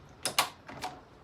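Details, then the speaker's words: 1989 Kawasaki KX125, shifting from neutral through first to sixth and back: crisp, clean clicks as each gear drops in, no grinding; the gearbox selects normally, though the top end knocks. "right gearbox chip okay so we're in neutral there that's first"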